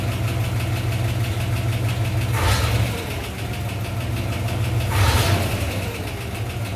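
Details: 1958 Corvette 283 (4.6 L) V8, four-barrel, two-speed Powerglide, rebuilt engine, after a 2-year AMSOIL 10W-30 Z-Rod oil change: even, lumpy idle with two throttle blips that rise and settle cleanly, no knocks or ticks; normal idle.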